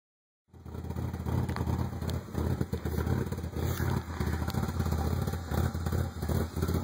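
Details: 1995 Ford Probe GT with a rough idle: a low chuffing beat that stumbles irregularly. Ran smoothly last year, then ran really rough after emissions repairs, new exhaust manifolds and a new rear exhaust half. Plugs replaced, original wires. Cause unknown.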